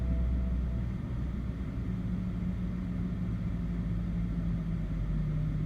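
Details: BMW E60 530i with rough, hunting, shaking low idle that dies after start; cause found to be a faulty mass air flow sensor starving the mixture.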